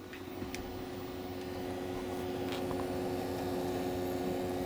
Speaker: imes when I first started up the CPU fan is making a horrendous noise it's almost like the fan is rubbing on something